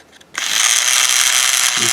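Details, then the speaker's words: Toy Trackmaster Thomas & Friends engine Billy: harsh, high-pitched steady buzzing rattle from a worn gear in the gearbox, noise worst with the body cover on; gear to be replaced and greased. "all right today we have billy billy is a little noisy engine at this moment we are about to fix it new gear will be replaced"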